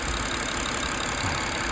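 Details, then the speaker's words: Engine idling after fresh oil and filter change, following valve ticking/knocking the day before, about 100 km earlier: smooth even soft hum, no ticking or knocking; normal idle. "যে শব্দটা শুনছেন ওটা হচ্ছে স্বাভাবিক ভাল শব্দ ভাল স্বাভাবিক শব্দ"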